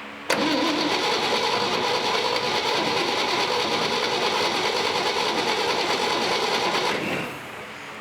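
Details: 1958 Chevy Apache barn find small-block V8 on a weak battery, no fuel from the carburetor squirters: steady starter churning about seven seconds at an even rhythm, never firing; cranks but won't start.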